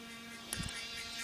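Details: MacBook Air: steady high buzzing whir with a brief rise in the middle, getting worse; abnormal internal noise, most likely the fan, cause unknown.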